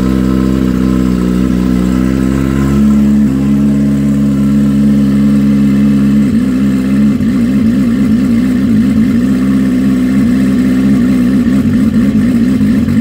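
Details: Freshly built, barely broken-in bike race engine, fire-up on methanol with starter map, 14-15 volts: catches, revs up, then settles into a steady idle with even firing and no knocks or rattles; normal warm-up idle.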